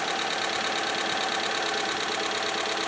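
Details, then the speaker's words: 1997 Ford Escort with almost 209K, freshly installed cylinder head, idling on first start: light quick valve train ticking about three per second over idle, should quiet when warm. "Just got back from our first drive since the new head, and as you can hear, she is quieting up. That valve train quieted up."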